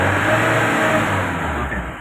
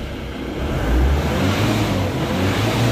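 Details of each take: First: Mahindra Bolero with low pickup after refuelling at low fuel, stalled after 10 km; free rev when cold rises quickly and cleanly to about 3500 rpm (4000 if held), then falls back; loses range after running a while, tank filter jam suspected. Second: Mahindra Bolero diesel with low pickup after refuelling, tested with fuel lines fed from a bucket, tank bypassed: picks up cleanly, revs freely to nearly 4000 rpm, drops back smoothly; normal free revving, blockage at tank.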